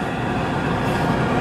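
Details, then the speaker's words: 1968 MGC heater blower motor after teardown and reassembly, running installed and mounted: a steady, even whir with no scraping, ticking or rubbing. Normal heater blower running. "Okay, with the fan installed and mounted and turned on, you can hear there's no scraping or rubbing, so that's good."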